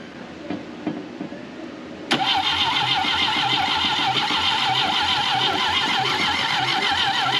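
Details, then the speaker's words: 1968 BMW 1800 barn find with the carburetor full of fuel: the starter cranks at about three beats per second but the engine never fires. The fuel pump is pumping a little; oil-fouled spark plugs suspected, and a lack of spark was found later. "okay she's pumping a little not a lot but it's pumping I'll tell you I think got them plugs filed up"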